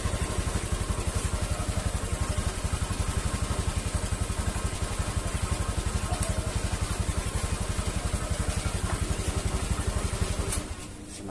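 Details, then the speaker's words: Honda Vario 150 scooter at idle: steady putter near four beats a second with a faint hiss from the CVT area; the CVT belt is slipping because of broken teeth. "Anda bisa mendengar suara mendesis di sini saat mesin dalam keadaan diam."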